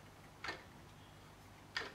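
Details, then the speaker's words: SIEG X2 mini mill in high speed: sharp clunks about 1.3 seconds apart over a faint motor hum, from stripped gears inside the head gearbox, where the selector lever fails to hold gear. "I think the gears are stripped inside there as well cuz that shaft is know to stop moving lock okay okay that's now high speed now you can hear it Go clunk"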